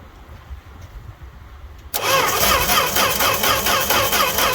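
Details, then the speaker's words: Fargo (Canadian Dodge D100) truck unstarted all winter, cold start without pumping pedal, heard from outside: even cranking about two pulses a second, never fires; crank no start. "no joke no nothing just cranking this poor poor thing"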